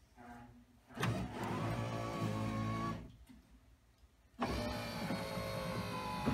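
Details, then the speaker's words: 1965-66 Thunderbird power window motor and regulator, repaired and installed in door, run on battery jumper direct to motor: two smooth two-second whirs, one per direction, no binding; works well. "good, works good."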